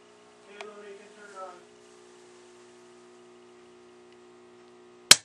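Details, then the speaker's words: Newly installed electric water heater, tank full, circuit breaker switched on: faint steady hum then one sharp loud crack, a short where a wire's bare insulation arced at the connections; power shut off and wiring inspected. "so anyway the first time we connected the wires and turned on the circuit breaker we had a little spark and we decided to take this all apart and inspect the wires"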